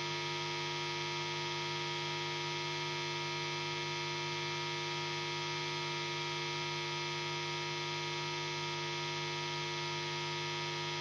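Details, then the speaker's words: Guitar rig with two amplifiers used for recording: a steady low buzz of even, unchanging tones with no playing, ground-loop mains hum that appears as soon as the guitar is switched on, already heavily muted. "There's a lot of this noise here. It's already muted a lot. It appears on its own when I turn on the guitar."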